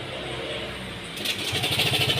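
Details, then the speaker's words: Yamaha Mio Gravis scooter at idle just after start-up, no check-engine light: loud fast metallic clatter over the idle, suspected broken cam chain tensioner; cam chain tensioner rattle. "Iba yung tunog sobrang ingay so yan napakaingay niya mga tropa so buksan natin tigan natin So tingin ko naman yung tunog nito ay possible to ay tensioner sira yung tensioner"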